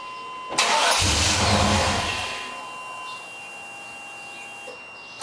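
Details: Chevrolet Tahoe: starter spins the engine for a couple of seconds, it never catches and winds down to silence; cranks but won't start.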